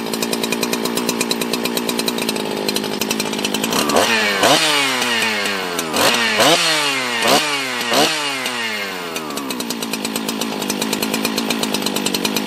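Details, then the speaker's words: Husqvarna 365 chainsaw, 24 years old, first start after full teardown and rebuild (carb set half-turn out on low, idle raised, started on choke, felt low compression at first): crisp steady high idle, clean rise and fall through cuts; runs healthy. "that's that's the sound of a husky that's how that's how a husky runs my god comment below if my heart's racing a little drip of sweat all this hard work today my god my god what a good running saw"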